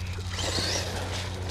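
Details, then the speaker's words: Traxxas 1/16 Mini E-Revo VXL on 3S LiPo after rear diff replacement, diff shimming, added center diff and spur/pinion mesh loosened from too tight; even low drivetrain whir with no ratcheting or clicking, gear mesh now runs smoothly. "sounds a lot better doesn't it"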